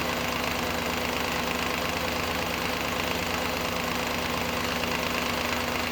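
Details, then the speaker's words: Audi A8 D2 4.2 (ABZ) at idle with drive belt removed: sharp, fairly regular knocking, a bit over two per second; whole front timing cover loose from a missing bolt, refitted with thread sealant. Loose timing cover rattle. "Болтается. Вся передняя крышка."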